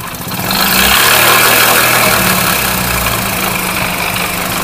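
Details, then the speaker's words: Idling motorcycle: hard, rough knock about three times a second from the connecting rod, with metallic timing chain jingle, plus clutch and gearbox noises. "तो दोस्तों basically यह जो आवाज है यह connecting rod कोन rod जिसको बोलते हैं वह आवाज कर रहा है क्लच बक्से की धड़क दे रहा है और इसका गेर ट्रांसमिशन ह की आवाज दे रहा है और इसकी टमक चन छनछन की आवाज दे रही है"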